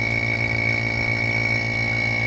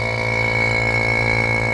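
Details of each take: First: Vacuum pump pulling water out of a 2nd-gen Toyota 4Runner air conditioning system during the A/C rebuild: steady motor drone with high whistle and rapid even pulse; pulling vacuum, with no hissing heard at this point. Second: Vacuum pump evacuating the rebuilt air conditioning on a 2nd-gen Toyota 4Runner, boiling moisture out: a constant low drone with a thin whistle and no hiss. A hiss was later heard somewhere.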